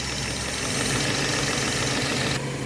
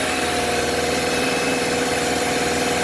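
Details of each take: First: 2013 Subaru XV, 66,867 km, after replacing noisy AC compressor, condenser, evaporator and drier; even steady idle with constant hiss, no knock or squeal, compressor cycling on and off normally. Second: 2013 Subaru XV, 66,867 km, evaporator replaced two years earlier, AC on at idle: steady droning hum from the compressor over the engine, customer-reported noise; failing compressor replaced.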